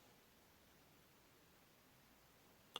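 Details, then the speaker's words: Car with an aftermarket start-stop/remote start kit that stopped working after a fuel change: near silence, one sharp click and a faint second tick with no cranking, and the dash doesn't power. Owner suspects the kit's second key-stage power; cause unconfirmed. "na hora de dar partida, ele dá apenas um estralinho e não dá partida novamente."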